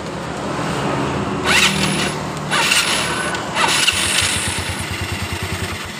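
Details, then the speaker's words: Yamaha Mio Soul carburetor scooter after pulley and roller replacement, electric start, cold or hot: starter bursts with a high whirr and slipping whine from the CVT case. Suspected grease-soaked one-way starter clutch slipping. "itu kadang normal dan kadang juga ada suara slip Coba kita cek kembali seperti itu suara sleep kemungkinan di bagian one way nya ini sleep karena saya sudah melihat di bagian bautnya ini yang dipenuhi grease seperti ini"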